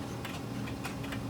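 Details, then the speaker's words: Pendulum clock after bending the crutch to adjust the beat: overcorrected, tick and tock now unevenly spaced the opposite way and worse, out of beat. "too far now it's the opposite direction and worse"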